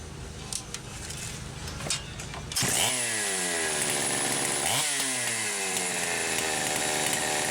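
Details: Poulan Pro 525 chainsaw (Pioneer P52) with governed carb, about a turn and an eighth open and possibly lean, running without load: screams at full throttle, then revs break up, sag and surge as the carb governor kicks in, limiting no-load rpm.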